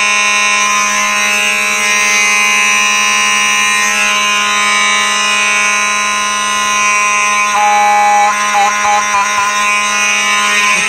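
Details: Simplex 4004 panel set to continuous, Simplex horns sounding: very loud, steady blare that never pauses; normal fire alarm horns on continuous pattern.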